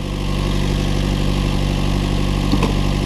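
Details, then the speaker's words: Chevrolet Cruze/Trax/Sonic 1.4, after installing aluminum valve cover to fix PCV valve fault (lean codes both banks, MAP sensor codes): steady smooth idle, previous sucking vacuum noise gone, repaired. "can don't hear that noise anymore but we're fixed now"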